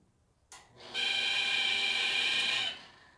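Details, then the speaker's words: 2012 Traeger Texas XL pellet cooker: shrill steady high squeal from switch-on until power drops, seeming localized at the induction fan, though unplugging the fan did not stop it. Induction fan squeal suspected. "Okay, and my quick determination is it's something to do with this fan. Sound seems to be localized right on this fan."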